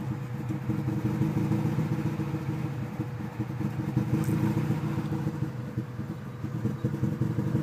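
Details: Engine revs to about 1700 rpm at first start, then idles lumpy and uneven with irregular stumbles and clatter once warm. Owner suspects air bubbles in the coolant or the idle air control valve; the cause is not confirmed.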